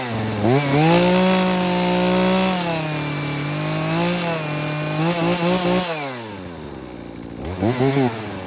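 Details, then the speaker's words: Husqvarna 240 chainsaw with new Hipa carburetor after correcting high/low and throttle adjustments, restarted after sitting 15-20 minutes: clean, crisp revs climbing and settling smoothly with no bogging or stumble; normal running. "Okay, there you have it. Basically running good."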